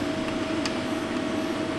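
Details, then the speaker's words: 2012 Jeep Grand Cherokee 3.6 no-start, after swapping in a substitute part: faint steady hum with thin constant whine, no surging, electric fuel pump now running normally, fuse protected. "Oh, I hear the fuel pumper running. We are fuse protected."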